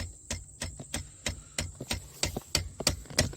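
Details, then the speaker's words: Pickup truck cab: sharp dry clicks about three per second from behind the dash, typically after opening or closing a door or at startup, lasting 15-25 seconds; owner suspects a blend door actuator. Clicking behind dash. "yeah that noise that K that kicks on that's usually like after I open or close a door like watch I'll open this door and it'll make the noise"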